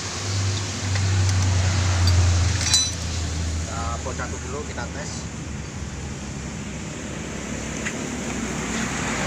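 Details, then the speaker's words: Honda Beat injection scooter after CVT repair for a growling, weak-pulling drive; steady even idle hum with no belt-side growl, now smooth, though excess oil in the CVT still makes the clutch shoes slip somewhat. "Suaranya sudah halus, tidak seperti tadi."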